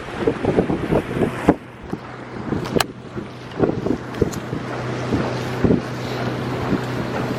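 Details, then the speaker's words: Pontoon boat outboard on a test run after repairs, in hot 90s weather, picking up speed; steady drone under wind and water slap, pulling evenly, running normally. "We just want to make sure the boat works. So we're picking up speed. Here we go."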